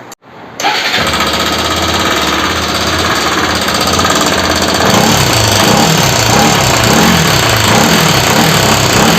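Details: Bajaj RS200 motorcycle: starts, then settles into a busy, raspy idle with a steady rattling tick over the engine note; abnormal engine noise of unknown cause.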